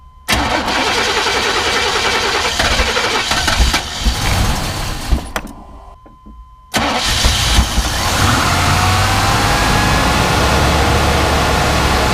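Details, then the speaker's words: 1998 GMC Sierra 4x4 5.0 Vortec with wild idle, idle air control valve unplugged: restarts and climbs to a fast but stable idle around 2500–3000 rpm without hunting; high idle, cause suspected, not confirmed. "with that unplugged it went really high it was like 2500 3000 rpm but it was stable"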